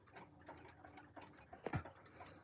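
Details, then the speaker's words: Corroded Hermle 340-02 movement, fully disassembled and reassembled, time side only with no chime or strike train: faint steady even tick-tock, keeping relatively good time. "It's actually keeping relatively good time."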